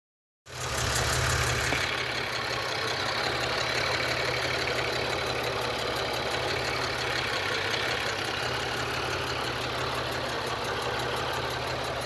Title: Lifter Tick on 3.4l V6 Grand Am GM LA1 engine?